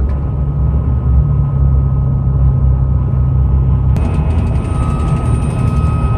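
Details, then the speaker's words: Roof light bar at about 50 mph, starting around 45 mph: steady faint high whistle over road and wind rumble, from airflow across the light bar and its brackets, plus wind noise. "you guys can hear that there's a whistling sound plus there's windows hopefully you guys can hear that"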